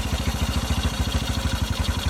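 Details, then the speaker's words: 1981 Yamaha SR185 single-cylinder after replacing faulty TCI with Ignitech, aftermarket carb, choke off: even low putter about seven beats a second, no misfires; clean idle, previously bogged and backfired from weak spark. "Never ran that high at an idle at start. I always had to have that up prior. That was with no choke. That runs 100,000 times % better."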